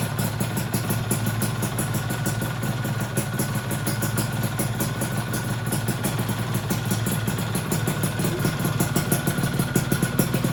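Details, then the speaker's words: Freshly assembled two-stroke engine, first run, slightly cool: steady idle with fast, even light tick over the exhaust that disappears when revved; owner hopes it goes once the new piston expands, cause unconfirmed. "Kalau digas bunyi ngelitiknya hilang ya. Tuh, jadi pas turun aja."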